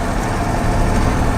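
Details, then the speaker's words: 1986 Ford F250 turbo 7.3 diesel at road speed with one front hub engaged: steady low rumbling growl under the floor plus tyre noise, with clunks and bangs underfoot; suspected loose part and worn front-end bearings, cause unconfirmed. "I think that's our front end. I know one of our hubs is engaged, and there's a loud clunk and thunk and bang of right under my feet, whatever it is. Something's loose."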